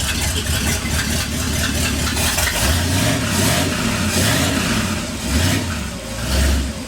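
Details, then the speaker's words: 1959 Ford F100 special delivery V8 idling after the idle was turned down from about 1,400 rpm, with the vacuum advance fully advanced: uneven, lumpy idle with stumbling beats and throttle blips; possibly needs a tune-up. "it might once it warms up it might run a little better it might need a little bit of a tuneup"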